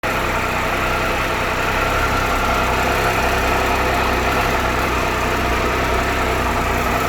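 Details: 2013 Triumph Tiger Explorer, 31,000 km, ticking cold and warm, before dealer valve service: steady idle with quick even tick-rattle three or four per second; top-end tick, cause unconfirmed.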